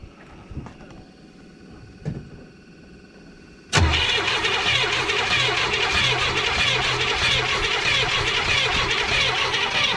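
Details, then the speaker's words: 1979 Chevrolet Malibu sitting 20 years, cranked: starter churns steadily with even beat but engine never fires; fuel pump suspected, old blocked fuel filter starving it of fuel. "don't think a fuel pump's working don't know I did any of that"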